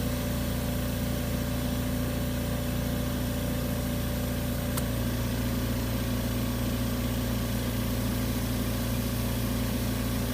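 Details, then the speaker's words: AMC 20 compressor after cutout pressure switch adjustment, being cycled; a steady motor hum with an even pumping pulse and a clean tone shift, and the earlier popping sound is gone; normal compressor cycling. "this is telling you that the pressure said is it's truly working that you will no longer hear that popping sound"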